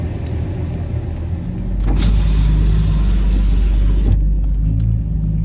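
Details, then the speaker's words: Car driven after full front suspension rebuild (axles, hub assemblies, tie rod ends): even low road rumble, no clunks, knocks or rattles over bumps; previous noise gone, ride quiet. "Got a whole rebuilt front suspension now. I don't even hear it anymore. I used to hear it a little bit."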